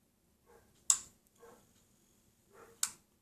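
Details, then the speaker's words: LG 50PT250 50-inch plasma TV that starts up and shuts down at once: two sharp relay clicks with faint ticks and no power-up hum. It gets 5V, then drops out; the fault is on the Y-sustain board, fixed by replacing the heatsink FETs. "it's the same thing you can hear it clicking wanting to start but something's stopping it"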